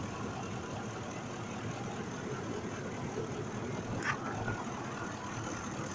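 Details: 2005 Ford F-150 5.4L V8 after the number 2 injector was replaced for a mechanical injector fault misfire: it now idles smoothly and evenly with no stumble or skipped beats; normal idle.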